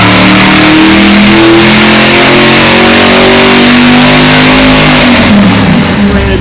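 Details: Old V8 on dyno after valve job, seals and guides, full-load sweep 3,000–6,000 rpm: loud, pitch climbing smoothly with no misses or knocks; 464 hp at 5,500 rpm, 490 lb-ft at 4,100; healthy pull.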